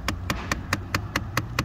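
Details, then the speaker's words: 2007-2014 Dodge Avenger: sharp, even ticks about four or five a second from behind the dash, a failing HVAC door actuator (unsure whether mode or blend door), to be replaced along with the blower motor. "but you hear that noise that ticking noise that means that a actuator in the cabin is making a noise"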